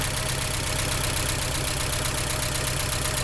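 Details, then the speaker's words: 1983 Porsche 944 Turbo after a new fuel pump and relay, first start after extra cranking, smoking slightly: steady, slightly lumpy idle with an even low throb and a light tick; it idles and drives. "well she's smoking a little bit but she does run and drive and move so that makes me happy"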